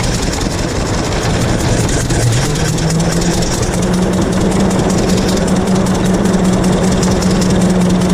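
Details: 1926 Hart-Parr 16-30 tractor, running and driving after its first start in over a decade; slow, loose-beating heavy chugging at a steady pace, low tone settling as it warms, running normally.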